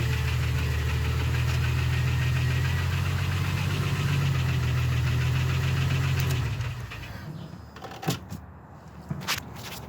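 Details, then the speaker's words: Jeep 4.0L engine reassembled after three months left open: steady idle with a regular knock about four times a second over the rumble until shutdown; knock of unknown cause, stethoscope check suggested. "well there's still a knock and stuff don't know what it is i guess you can get the stethoscope you know figure it out"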